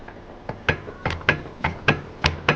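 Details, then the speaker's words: Car driven over speed bumps and rough road: sharp hollow suspension clunks, about eight in under three seconds; suspected worn tie-rod or control arm ball joints or bushings. "这个车的话是在过减速带或者是一些颠簸路面的时候，它就咯噔咯噔的异响。"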